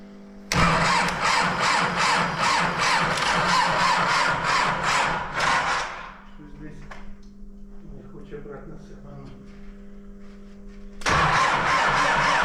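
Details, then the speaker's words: MTZ-80 tractor, D-240 diesel, just after valves were reset to factory clearances, in freezing cold: slow cranking that never catches; weak batteries needed a charger-starter, and the battery master switch was not fully on; hard cold start. "В общем, дракон завівся. Недовключена була маса. До включив."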